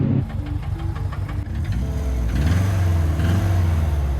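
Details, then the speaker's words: Holden/Isuzu PF50 Gemini started in neutral: engine idles with a heavy, uneven low knocking first mistaken for engine damage, traced to what appears to be a failed secondhand manual gearbox of unknown condition. "oh so that noise at first I thought was a busted engine cuz Subaru life that's what they sound like when they're broken"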